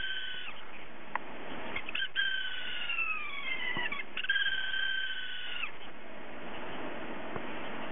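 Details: Hard drive with a faulty spindle motor bearing that won't spin properly; thin wavering high squeals rising and falling like a meowing cat over faint hum, drive squeal.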